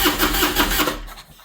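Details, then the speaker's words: 2001 Harley Road King Special V-twin with a freshly charged battery, in neutral; the starter churns for under a second and it won't fire. Cranks but no start; the fuel pump relay and circuit are being checked, not confirmed. "it cranks doesn't start so went through looking for the fuel pump relay which they seem to be hiding on us"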